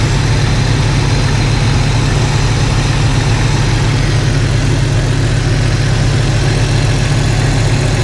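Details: Jeep Cherokee XJ idling after swapping in refurbished 4-hole injectors to replace cracked ones, no fuel leaks; deep, steady, even rumble with no misses, ticks or stumbles, nicer and quieter idle.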